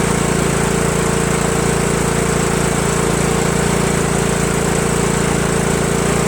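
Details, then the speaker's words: Craftsman LT1000 lawn tractor, previously surging, owner suspects fuel delivery from old hoses; run on makeshift direct line from tank to carburetor: steady even chug, no surging, pointing to fuel problem. "it looks like it's probably a fuel problem it's not surgeon anymore"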